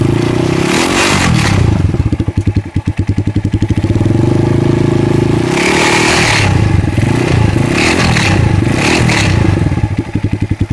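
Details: Kikker 200cc motorcycle at 146 miles, bought not running at 138 miles, tank and carb cleaned: engine revving with a harsh metallic rattle over the rapid firing beat, cause unknown to owner.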